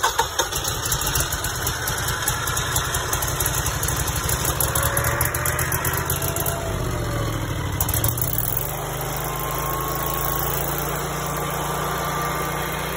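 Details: First test start of a newly installed Generac standby generator, lines bleeding fuel after several cranks. The starter churns, then the engine catches and settles within seconds into a smooth, even run with no knocks: normal running.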